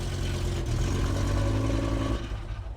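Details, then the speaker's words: BMW M6 V10 being rebuilt, started after a little fuel was added: heavy low rumble with a clattery, uneven note when revved, then dropping away; sounds severely wrong, runs rough, cause unknown. "Oh, it sounds terrible. That sounded really bad. Something is severely fucked up with that."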